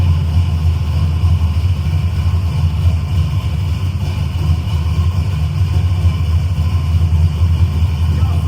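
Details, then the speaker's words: Carbureted engine, carburetor mixture readjusted for different airflow, wideband reading on target; smooth, even low rumble at a steady idle with no misses or knocks, idle quality improved. "If you paid attention, you can hear the the idle quality change, too. Uh cuz I had to change the mixture."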